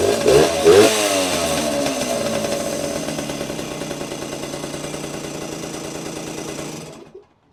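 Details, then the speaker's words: Vintage 1977–1979 Yamaha GT80 two-stroke enduro, unstarted for a while, oil changed, started on choke: a crisp ring-a-ding that fires fast, revs once, then settles to an even crackling idle with little smoke. Normal, healthy two-stroke idle. "Wow, that was pretty impressive. Didn't take long to start, and yeah, these old two-strokes, man, just start right up."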